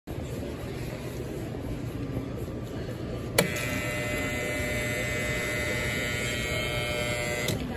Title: I wonder why Subway’s soda fountain makes this buzzing noise when I refilled my Coca-Cola